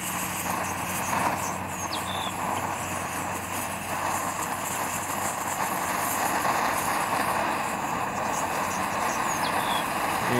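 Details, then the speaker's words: Dual-fuel pressure stove on unleaded gasoline, preheated, fuel now vaporising properly: loud, steady hissing roar with no sputter or pulsing; dirty flame gone, clean but noisy burn. "as you can see cuz it's vaporized properly the dirty flam's gone out and that's quite a clean flame burning there you might also note that it uh yeah it's pretty noisy"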